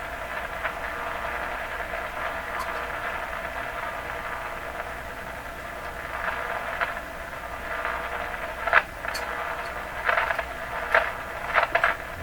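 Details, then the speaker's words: Stromberg Carlson Model 515 tube radio tuned around 15 MHz shortwave: steady hiss with scratchy crackling bursts as the dial moves; the owner guesses something is oscillating inside; scratchy noise on shortwave reception. "Yeah. Okay. So we're receiving here. That's actually not bad, but all the way along there's this weird"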